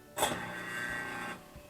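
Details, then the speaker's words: Newly installed half-horsepower garbage disposer on its first test run after hookup: a brief, smooth whir spins up and runs evenly with no grinding or rattle. Normal operation. "sounds good let's do a leak test running water here at the top see if there's anything leaking"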